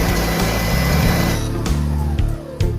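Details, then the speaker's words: Clark COEBS1 oscillating belt and spindle sander, after repairing a motor electrical fault, running at no load: even, smooth hum with no rattle or crackle, then clean coast-down; normal running. "Alright, let's see if it works... Perfect and it sounds much better."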